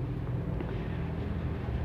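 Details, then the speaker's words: Maspion box fan humming and vibrating with no rotation, only turning when pushed by hand. Steady low electrical hum, no whir of blades. Measured fault: broken speed winding lead in the motor. Fixed by jumpering speed 1 to speed 2 at the switch. "Kondisinya ini mesin ini berdengung atau bergetar, tapi arah pemutarannya tidak ada."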